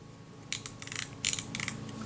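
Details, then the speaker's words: Kodak Retinette type 022 shutter during servicing, after backing off the front retaining ring from a too-stiff setting: crisp, distinct clicks in short bursts through the detents; positive, not overly stiff click stops, correctly adjusted. "that set feels nice there's a positive click stop but it it's not overly stiff in its action"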